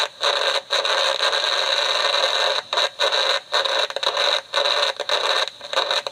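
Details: DIY AM superhet receiver, just finished, antenna on temporary clip leads: constant hissing static with faint high whistle and short irregular dropouts; owner unsure it's wired right; picks up a signal generator at several band spots.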